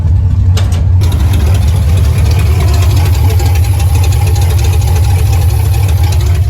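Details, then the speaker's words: Uneven loping idle with occasional stumbles, engine showing no fuel pressure; timing first suspected, now fuel delivery, pump model in question. "I'm getting no fuel pressure and you can hear it in the idle like it's not running right"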